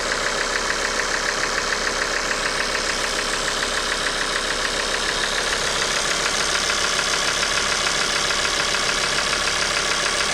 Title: Bruit moteur injecteurs et pompe à huile hs !